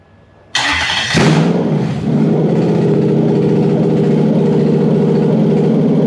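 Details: Toyota 1UZ-FE non-VVTi V8 with non-immobilizer OBD2 ECU setup: quick catch and fire, then settles into a smooth, even V8 idle with no misses or knocks; healthy start.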